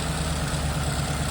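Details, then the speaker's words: 2014 Ford Expedition with a swapped Coyote V8, first start: with the AC on, the engine lugs down into a lumpy, misfiring idle. Owner suspects old, clogged injectors and old fuel. "Getting cold air, but it really lugged the engine down and now it's misfiring."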